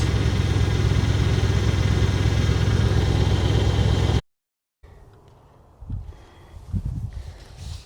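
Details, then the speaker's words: 1978/79 Chevy K20 4WD, automatic, V8, revived after sitting about 15 years, idling over 5 minutes on its own fuel system, low on coolant: a steady, low, even rumble with no knocks or misses before shutoff; normal idle. "Well, it's been idling for 5 minutes, so I'm going to assume and for over 5 minutes, I'm going to assume that it's running on its own fuel system now."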